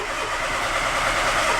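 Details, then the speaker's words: Peugeot 107 (Toyota Aygo/Citroen C1) with B2799 immobilizer fault code, both keys tried: starter turns engine over evenly, slightly weak, but it never fires; crank no start, immobilizer not communicating. "and indeed it's a crank no start and let's try the other key and with the other key also a crank no starts or customer complaint confirmed"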